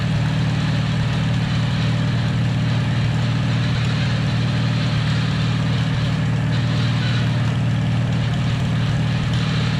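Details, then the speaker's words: 1949 Farmall H tractor after sitting for years: steady low engine drone with a faint uneven whir underneath. Rear end was low on gear oil, causing the noise. Rust or something stuck was also suspected. Diesel was poured into the rear end to flush it. "Yeah, we were a little low on gear loop on the rear end. So, that's why that noise was happening."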